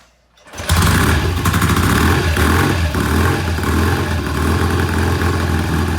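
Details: 1968 BSA twin, kick-started: fires loud but idles uneven and lumpy, one cylinder lazy and won't hold idle; misfire and rough idle, cause not confirmed, to be warmed up slowly and rechecked.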